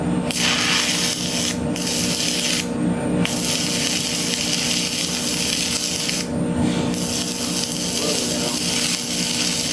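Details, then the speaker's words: Stick welding pipe on the hot pass, the second pass after the root, with current raised 25–30 A to burn into the root: a steady crackling arc hiss with a few short breaks between rods. Normal stick welding arc. "Okay, now we're doing what is called the hot pass, where it's the second pass after the root pass, and you crank it up an extra 25-30 amps to burn in to the root and make it a solid outside bead all the way around."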